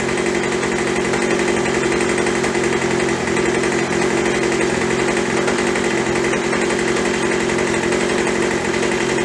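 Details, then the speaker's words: Craftsman (MTD) B2000 25cc two-stroke blower after carb clean, carb kit and trigger modification for full throttle travel ("won't stay running" fixed); warming up, a steady, even high buzz with no surging, idle settling around 2700 rpm; normal idle. "settling down now to about 2700."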